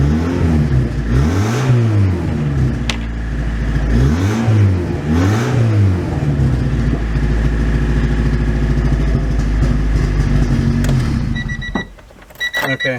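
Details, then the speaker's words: Honda Prelude just running again: engine blipped several times then held at raised idle with an uneven, coarse exhaust note; owner suspects ignition timing, not yet adjusted. "if if you hear the exhaust is like yeah that's usually it's usually ignition timing so I by no means did uh adjust that"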